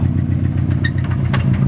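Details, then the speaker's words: Subaru WRX with aftermarket top-mount turbo and cold air turbo inlet, rough idle after drifting: heavy clatter on each firing beat with sharp ticks, deep bottom-end knock; suspected rod knock, bearing about to let go, not confirmed. "I don't know, I feel like a bearing's about to let go on you on the road."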